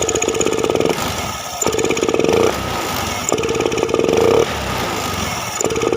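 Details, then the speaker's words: Honda Beat FI scooter, no MIL codes, throttle body, fuel pump, EOT sensor, plug and injector already swapped: revs climb then stall flat and fall back on each quick throttle blip, normal when rolled on gently; ECU fault. Hesitation on snap throttle. "tapi motor ketika di standar diturunin atau beban di jalan motor berat atau kalau di gas langsung motor brebet atau 00 atau ngok ya kita coba gas langsung"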